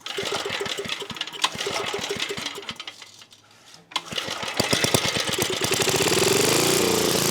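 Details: 1980s Onan (C80) generator: uneven firing stumbles, nearly dies midway, then catches and runs rough; owner suspects fuel starvation as spark is good and it keeps running on starting fluid, carburetor diaphragm examined.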